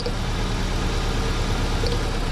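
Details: Engine at low idle with an uneven, lumpy beat under a steady hum as one cylinder fails to fire; misfire tested one cylinder at a time.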